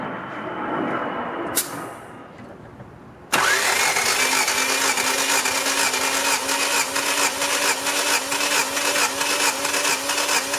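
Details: 1990 Honda Civic Si compression test: starter cranks with a steady, even chug, about two beats a second, with no weak or missing beats. Readings are about 160–162 on one cylinder and 150 on cylinder 2, so compression is healthy.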